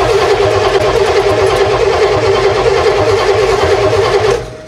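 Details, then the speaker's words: 1968 Oldsmobile Toronado engine being revived after reassembly and a spark check: fast, even cranking at about three and a half beats per second, strong and steady. Healthy, strong cranking. "cranking really good yeah it's cranking great"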